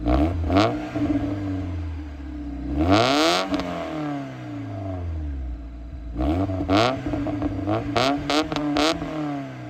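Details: Mazda Miata engine revved a few times after the valve stem seals, head gasket, and intake gasket were replaced: quick revs rise and fall smoothly over a raspy exhaust with no knocks or rattles. It sounds healthy, though a smoke check is still pending.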